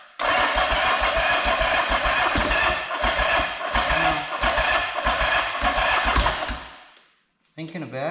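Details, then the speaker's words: 1979 Yamaha XS750, first start after engine rebuild (failed within about 50 km of a previous rebuild), carbs and wiring repaired: steady starter churning with compression pulses for about six seconds, never firing. "Alright, looks like we need a bit of start your bastard."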